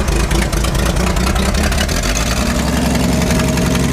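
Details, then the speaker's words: Ford F100 short-bed 4x4, six-cylinder, four-speed, running after a rollover: loud, lumpy, soggy low idle; it runs very rich and fuel can be smelled, blamed on a massive oversized carburetor for a six. "it sounds like it's rich it's very rich that's a big big big Carver yeah I can smell it"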